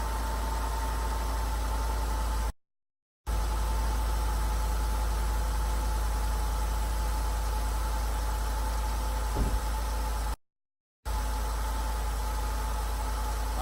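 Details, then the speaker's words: Truck idling after engine bay wash and detail, warming up to dry off, steam rising: low steady rumble with faint even hum, no knocks or misses, no dash lights; idling normally. "so we got the truck cranked. There's no lights on the dash. Everything's working like it should be."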